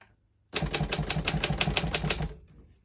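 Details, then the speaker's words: 1956 Royal HHE vintage desktop typewriter function test: crisp, evenly spaced key strikes at about three a second, no drag or double hits; all keys type well with none sticking. "you can see, all the keys type nice and none of them stick."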